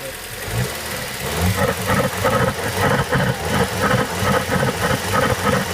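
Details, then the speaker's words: VW/Audi turbo petrol engine running: rhythmic whooshing surge about three pulses a second from the air filter, caused by a weak N249 turbo diverter valve, not torn; codes P2261 and boost pressure control valve fault. "so um that noise that you heard um is caused by this diverter valve being weak not only and not not Tor um it's just weak"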